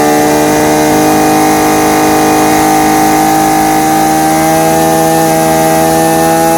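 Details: Husqvarna 326RJb trimmer on a replacement carburetor (old one wouldn't idle, fuel pump diaphragm fault), high-speed needle set dead center: crisp, steady high-pitched two-stroke buzz holding even revs without stumbling or surging; normal running.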